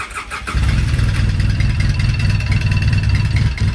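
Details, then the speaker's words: 2008 Polaris Sportsman 800 twin pushrod engine, brought in for a noisy engine: starts and settles with a light quick tick about four per second; common on these, oil pump loud and ticky even new. "even when these things are brand new the oil pumps are pretty loud kind of ticky in these These are old style push rod engines"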